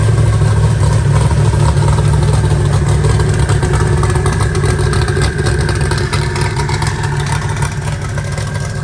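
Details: Eagle Talon rewired and converted from Pro EFI to Holley: a firm, even idle pulse that stays steady, all cylinders firing with no stumble heard.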